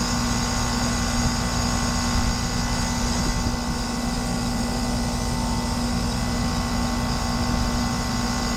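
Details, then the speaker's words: Lennox heat pump outdoor unit, homeowner's noise complaint: loud constant droning hum with a rough, gravelly undertone and fan rush. Technician unsure whether compressor valves are bad; suspects the reversing valve as the noise source. "I don't know if that's bad valves in the compressor, or are we stabilized? I don't know. Doesn't sound good."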